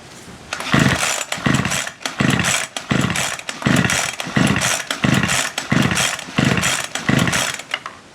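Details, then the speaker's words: Ryobi SS30 string trimmer, used earlier in the year, now won't start: about nine quick rope pulls, each a brief whir dying away without firing; spark tester shows no spark, ignition coil suspected, switch to be disconnected to check. "Okay, so we definitely have no spark. There was no light right in there that was illuminated during that process, so we have no spark."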